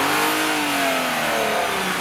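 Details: Engine revving with a raspy, uneven rattle and poor sound caused by a vacuum leak at the shifter rod gasket, along with worn intake shifter bushings. Replacing the bushings and gasket fixed it.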